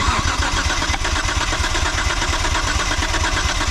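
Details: 1998 Mitsubishi 3000GT VR4, long-sitting, compression test on rear bank cylinder 4: even cranking beat at roughly 86 per minute with steady starter whir, reading about 150. Normal compression cranking.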